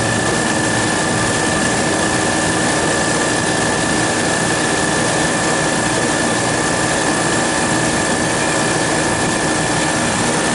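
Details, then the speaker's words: Refrigeration compressor in frigid -14 wind chill, after fitting thermostat-controlled heater on liquid receiver to raise refrigerant pressure: steady even drone with faint high whine, no knocks or surging, pumping down normally, cutting out at zero psi. "okay she's pumping down now"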